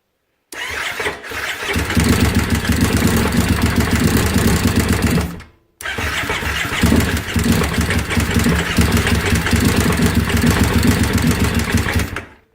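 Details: 2005 carbureted Kawasaki Brute Force with fresh gas, fitted with a stator for a 2012 fuel-injected model: two long cranking runs with uneven chuffing and backfiring pops that never catch; wrong stator found as cause.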